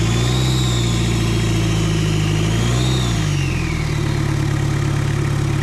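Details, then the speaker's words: Mitsubishi Adventure diesel with an adapted turbo on a stock engine internally, first start: idling and revving lightly, clear whistle rising and falling with revs; healthy turbo spooling. "Ayan, rinig na rinig yung sipol ng turbo niya ngayon. Manitin lang natin ang konti."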